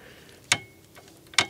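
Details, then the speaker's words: 1969 Kawasaki H1 500 Mach III triple, sitting 41 years; engine turned by hand is not seized but gives two sharp isolated clacks about a second apart, something banging on the piston; internal knock, cause unconfirmed. "I guess we'll try to get into there if we can get it moving freely, because this, you can hear it banging"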